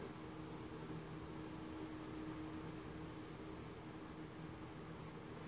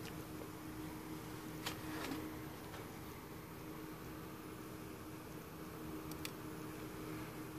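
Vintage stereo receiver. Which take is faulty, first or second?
first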